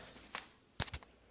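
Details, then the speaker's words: Old, crusty original preheat glow starter in a 1940s shoplight fluorescent fixture converted back from rapid start to preheat: faint quick clicks with long quiet gaps, slow to strike the tube; slow fluorescent starter. "Starter is a bit slow, but then again, it is old and crusty. It is the one that was in this light actually."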